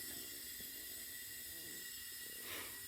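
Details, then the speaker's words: CO2 carbonation cylinder refill through a siphon-tube cylinder, valve opened slowly, pressure rising: steady, even high-pitched hiss with no sputter or whistle; normal liquid CO2 transfer. "you'll see the pressure is going up towards the green so this has a siphon tube in it so the pressure is pushing down on the liquid the liquid's coming up the siphon tube and out there so we're transferring liquid right"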